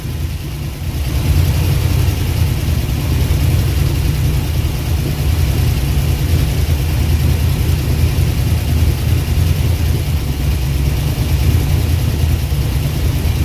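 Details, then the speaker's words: Long-abandoned Eleanor-style Mustang, 289 V8, first start after fuel pump began working: rough, deep, uneven running with heavy choo-choo puffing, compression escaping, smoke, pressure building in the radiator; suspected blown head gasket, possibly jumped timing. "It's got a large, really bad puffing like a choo-choo train. Looks like it's got a blowed head gasket, y'all. A lot of compression coming out."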